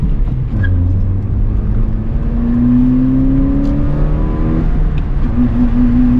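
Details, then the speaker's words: GD3 Honda Fit 1.5 L with short ram intake and HKS Hi-Power muffler, light throttle while driving through a neighborhood: smooth note climbing steadily, slightly deeper growl than OEM, intake noise accented, no knocks or rattles; healthy. "mean, it sounds good. It sounds all right for a little car. I think if anything, it just accents the intake noise a little bit."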